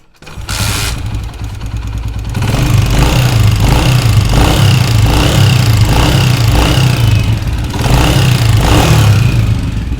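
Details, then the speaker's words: 2022 Honda CG125 motorcycle starting and idling: light quick top-end tick about four per second; mechanic attributed it to cam gear, cam chain tensioner needs adjusting. "ये मैकेनिक के पास गए और जाके इन्होंने आवाज़ चेक कराई, वो बोल रहे थे कि इसकी केम गरारी की आवाज़ है।"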